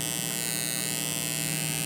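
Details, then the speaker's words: EcoFlow River 2 Pro power station at 84% charge with its AC inverter on and powered speakers at full volume: a constant electrical hum with a high buzzy whine from the speakers. The noise stops when AC is cut off, so a ground loop through the speaker cables is suspected. "so we do hear we do hear hear a little bit of hum we do hear a little bit of noise coming out of the speakers"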